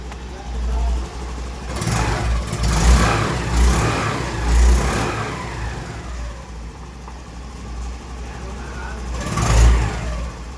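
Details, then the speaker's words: Honda Dio scooter that would not self-start (no power supply, no error codes, wiring fine); after replacing the failed blue relay it starts, catches and runs, with crisp rev blips returning cleanly to a steady idle: normal start and revving. "Relay change ಮಾಡಾಯಿತು. ಇಲ್ಲಿ ನೋಡಿ, ಇವಾಗ ಆಯಿತು ಗಾಡಿ start."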